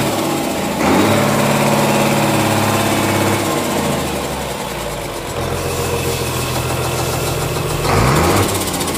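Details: Komatsu S6D125 six-cylinder diesel on test stand after general overhaul with new crankshaft, liners, pistons and bearings: steady, even beat rising and settling smoothly with throttle, no knocks or misses; normal running.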